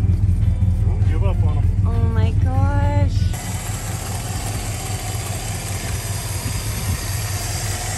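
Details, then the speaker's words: Plymouth Fury that sat for five years, just started: after a shout, smooth, even low idle with no ticking, knocking or stumbling; idles like brand new. "idle's like it's brand new that is crazy"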